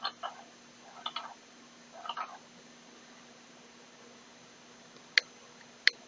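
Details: Xiaomi Mi Drone transmitter, bought online: small scratchy creaks each time the right control stick moves, then a few sharp clicks, in a quiet room.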